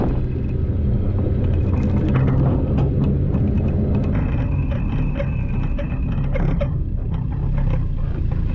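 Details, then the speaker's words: Boat trailer towed around the block behind a low truck, with the boat's weight heavy on the hitch: heavy road rumble with scattered metallic clinks and a faint scraping ring as the safety chains drag on the pavement. "You can hear the chains dragging. Did they drag? They're on the ground currently. Oh, they're still on the ground."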